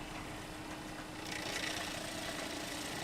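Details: Newly installed 12-volt RV water pump starting up: a steady buzzing hum holding an even, slightly rough drone; the pump works but sounds unusual.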